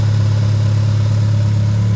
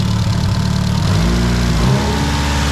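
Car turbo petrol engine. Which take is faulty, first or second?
second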